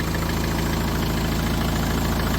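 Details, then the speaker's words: Talbot Express van converted to a 2.0 HDI Peugeot DW10RHY diesel: even, steady idle with soft regular clatter and faint fuel pump tick, much quieter than the original Talbot engine; normal idle. "compared to original tool bits. It's a massive difference."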